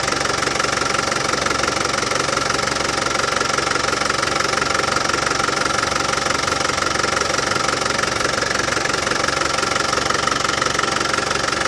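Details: Land Rover Defender 200Tdi diesel at warm idle after new power steering pump fitted and steering box bled: steady even clatter, no rattle from pump side; new pump cured it.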